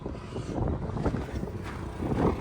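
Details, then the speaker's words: Generator on an auction-bought toy hauler RV, running all the lights and loads: steady low drone stays even with some wind on the mic; generator sounds healthy and runs normally. "that one as well generator sounds pretty good that's running everything"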